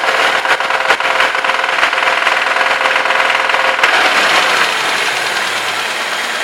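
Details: Moskvich 2141 engine running with a sharp metallic tapping roughly three times a second over the hum; a clear internal knock.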